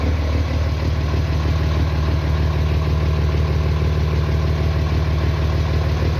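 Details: Diesel with valve lash deliberately set loose to make it clatter, which the owner says cost power and low-rpm turbo boost, before returning to the original 40/60: steady idle with a loud, even ticking clatter tracking engine speed; excessive valve clearance.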